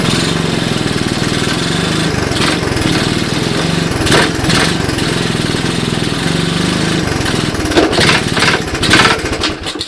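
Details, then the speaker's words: 1981 Honda ATC 185S first start-up on portable 12V, CDI ignition, clone carb: small single-cylinder putter broken by irregular heavy clunks; needs a little gas; chain or rear end seized, won't move, bad sounds in gear; cause unconfirmed. "so so so i don't know did you guys hear that clunking in there she didn't sound very good didn't sound good at all"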